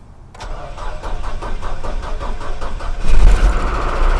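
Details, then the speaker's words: Truck with Weber carburetor and mechanical fuel pump, after adding electric priming pump cut off by oil pressure switch; under three seconds of quick even cranking, catches and settles to steady idle, oil pressure good; quick start. "and there it is it starts right up your oil pressure is good"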